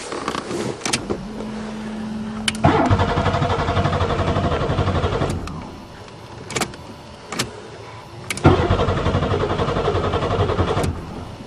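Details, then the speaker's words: Buick Regal tried in spring after sitting over winter, fresh battery installed: two long bursts of even starter churning with steady compression rhythm, engine never catches; crank, no start, owner suspects no spark. "let's try some miracle juice well it must have no spark what the I'll fix it another day"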